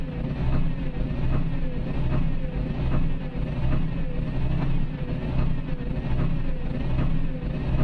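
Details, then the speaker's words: Isuzu Forward diesel truck at idle, P0336 crankshaft position sensor problem: idle lumps and surges about once a second, rough hunting and hiccuping, stalls while driving; no check light, scanner shows other sensors fine, wiring suspected. "बाकी सब चीज़ ठीक है, लेकिन इसमें ये ऐसे roughing कर रही है ये।"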